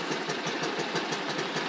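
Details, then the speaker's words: X-Pro X20 GY6 scooter idling: quick even putter held at raised idle with buzzy exhaust on replaced muffler; lower idle stalls, owner suspects vacuum leaks, later fixed with a snugger intake manifold. "a little high, but any lower and it just wants to conk out sometimes. I don't know. It's good. See? So that's what it's. Maybe I still have some vacuum leaks."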